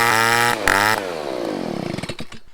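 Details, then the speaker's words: STIHL two-stroke leaf blower after removing the clogged spark arrestor screen that caused no power and bogging: high, even buzz holds at full throttle then winds smoothly down, power fully restored; normal full-throttle run. "power to the blower is completely restored and it's pretty much like brand new"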